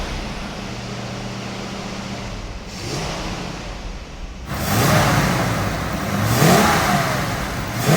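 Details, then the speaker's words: 1967 Ford Mustang, bought new and recently renovated: lumpy even idle, then fires up with throaty rumble and rev blips; runs smooth and tight, normal start and idle. "thing sounds real tight. Yeah. You can tell when you listen to the exhaust, that throaty sound to it."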